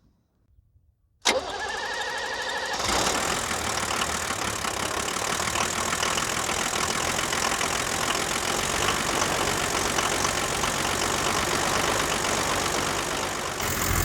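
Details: 1978 International Scout II, Nissan SD33 diesel, heard up close: quiet, brief crank, catches and settles into steady, even diesel clatter without misses; healthy start and idle.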